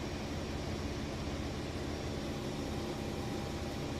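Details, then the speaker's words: Maytag Bravos XL high-efficiency top-load washer in its final spin: a steady, low, even drum whoosh with no knocking, thumping or rubbing. Balanced, normal spin cycle. "this video to be too long but I think it's important to see the spin cycle in action"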